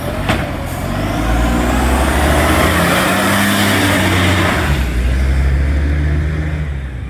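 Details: NAWMA FOGO 3520 diesel revving: a heavy, raspy, puffing blat that rises with the revs, the sound of a large exhaust leak.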